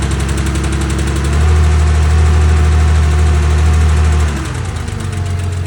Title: Porsche 911 engine tapping/ticking noise - 2.4 MFI